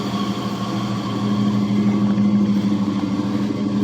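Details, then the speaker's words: Jeep 4.7 V8 on a cold start after an AMSOIL change, with the lash adjusters previously clattering: steady even idle with no lifter ticking and only power steering pump whine on top; the quietest it has ever been. "But that's the quietest this 4.7's ever been."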